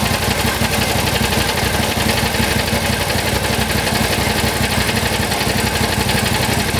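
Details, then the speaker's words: John Deere GT225 lawn tractor, warmed up, repeated cranking: steady rapid churning about three beats a second, never fires; starts fine cold but not warm; owner checks cables, later believes starter overheated and toasted. "Never had a tractor hard start when it was warmed up. I'm telling you, that thing fires right up when it's cold, but just not when it's warmed up."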